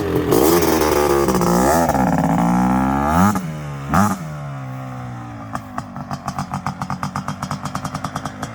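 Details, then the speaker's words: Suzuki LT500R Quadzilla 500cc two-stroke, FMF pipe, airbox lid off, 39 mm PWK-style carburetor, 0.5 mm overbore, warm around 190°, after needle clip adjustment: revs cleanly and settles into steady idle with no sputter; jetting good. "see now that sounded good i didn't really hear much sputter i would bet i'd say we're pretty good on the jetting"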